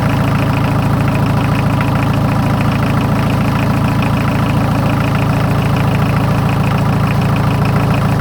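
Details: 43-year-old VW diesel truck with 772 oversized pistons and rings on mostly used parts, first start in a year on a ten-year-old battery after powering the fuel shut-off solenoid. A strong, even diesel clatter at about 3.5 beats a second: a normal, healthy idle.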